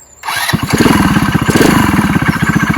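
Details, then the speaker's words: GY6 go-kart engine on premium fuel after a rebuild, which used to take about an hour to start. It now fires at once and settles into a quick, regular single-cylinder putter; it starts and idles cleanly. "it works amazing love it it actually starts now before it used to take about an hour to get it to go now"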